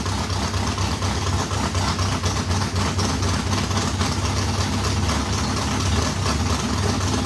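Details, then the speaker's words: Race modified V8 first start after months of work, fuel pump fitted: strong, steady idle with deep even lope, no knocks or misses; healthy, water pump gasket leaking on passenger side. "well how about that it runs bad news is I can tell I got to pull the water pump back off cuz uh got that gasket on the pasture side is leaking"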